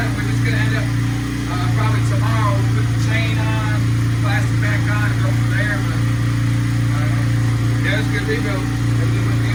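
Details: Kawasaki KFX90 ATV after a top-end rebuild, bench-run on a battery charger with no chain and the restrictor still on; the idle may need adjusting. A steady, even low hum with no misses, knocks or rattles: normal idle.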